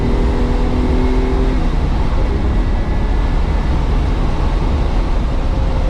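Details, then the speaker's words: Ferrari 365 GT 2+2 with three carburetors, hot after driving, idling under a loud puller fan; engine stays running and picks up cleanly without stumbling, showing all three carbs have fuel after adding an electric fuel pump to fix vapor-lock fuel starvation. "so if it's going to stall like we have to see and it's still pretty reactive that means all three carburetors have fuel in them"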